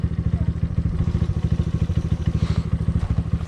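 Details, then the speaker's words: 1986 Yamaha Moto4 YFM200DX ATV before carb cleaning: single cylinder thumps unevenly about three times a second, burping and sputtering instead of running smooth, from a dirty carburetor. "it's still burping pretty good it sounds like yeah I hear it yep"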